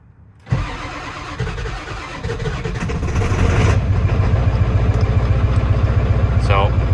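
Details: Ford OBS 7.3 diesel at about 25°F, after glow plugs, following new battery and starter install fixing slow crank: brisk even cranking near four pulses a second, catches and settles to steady low idle; owner suspects a pulley needs replacing.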